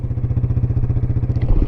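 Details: 1996 Yamaha Wolverine 350 4x4 ATV, parked after first ride: quick, even single-cylinder putt-putt with no misses or clatter; smooth, healthy idle.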